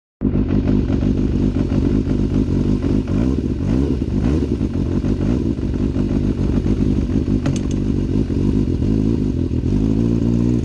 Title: Rattling sound I'm trying to diagnose